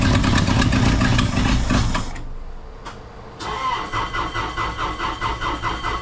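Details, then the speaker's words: Ford F250 fired up under the hood; it catches, sags almost to stalling, then lopes unevenly. Rough running that the owner believes is a fuel delivery issue. "okay so I am pretty well certain we have a fuel delivery issue"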